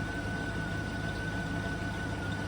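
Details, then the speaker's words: Salvage yard Chevy Suburban at idle with A/C on high, old gas plus 3–4 gallons fresh, check engine light on: steady idle with a thin constant high squeal; owner suspects a squeaking pulley. "sounds like one of the police squeaking a little"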